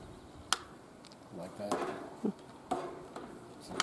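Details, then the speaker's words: ITEHIL solar fan: sharp single clicks about a second apart as the head tilts through 30°, 60° and 90°, each click the latch locking the angle. "oh and then the angles here is 30° 60° and 90° and that's uh three angles if you hear the clicking sound it means it's fixed"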